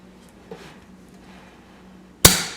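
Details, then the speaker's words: Poor man's compression test during head trial fit, valves closed with no rocker arms: one sharp loud pop dying cleanly with no hiss; cylinder seals well, good compression. "And that's what you want to hear, that nice pop. Sometimes when you do this and you start ringing it up, you'll actually hear the cylinder leak down, but I'm not hearing that. That's good."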